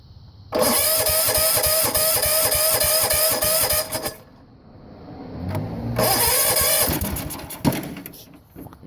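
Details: 1970 Sears Suburban tractor, 16hp OHV Tecumseh, after a magnet spark repair and throttle cable adjustment: cranks, catches, runs at a fast steady putter, dies, then revs again; carburetor questionable, cable still needs adjusting.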